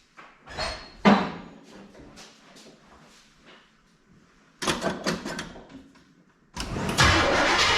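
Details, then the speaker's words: Chevy C10 with a 454 big block V8, after repair of an engine tick and exhaust sputter, started after sitting about three weeks on a new battery: it catches cleanly and settles into an even run with no ticking, much quieter. "no I can tell you right now it's much quieter up here we'll let her get warmed up here for a minute"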